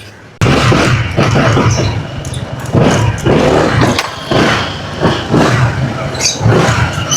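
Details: Two-year-old Honda ADV 160 scooter after two months unused and a drained battery, now recharged: starts, then runs and revs in smooth blips with no misfire or rattle; engine healthy.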